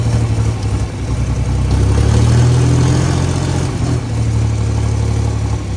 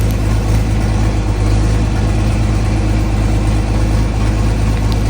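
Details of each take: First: John Deere 4020 tractor after a new exhaust manifold and replaced injectors: a steady, low diesel chug that revs smoothly and returns to an even idle with no missed beats. No longer misfiring; a normal diesel idle. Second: Restored John Deere 4020 tractor diesel, at start-up idle: low chugging idle with uneven beat and occasional missed firing pulse; misfire attributed to bad injectors.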